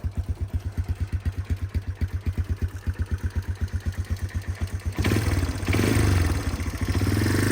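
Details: 1989 Yamaha Moto4 200 ATV, started still cold before a test drive: an even single-cylinder thumping at about four beats a second, then a few throttle blips; normal cold idle.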